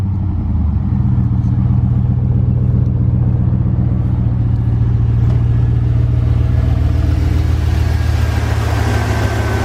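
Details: Chevrolet Silverado V8 just started after a Cold Air Inductions cold air intake install, AC on: a deep, steady idle with an even beat and a soft intake rush, no knocking or ticking; the engine sounds healthy.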